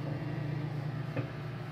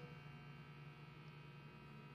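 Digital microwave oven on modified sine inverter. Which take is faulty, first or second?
first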